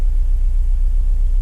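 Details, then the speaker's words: Prelude H22 turbo on new 1000cc injectors, Hondata ECU with base map, OBD2-to-OBD1 conversion, idling on its own at first start: deep, uneven throbbing, vibrating idle; wideband shows very rich (around 12.6) air/fuel, rough idle. "vibrating a bit so there's definitely something off the air/fuel is we're very rich"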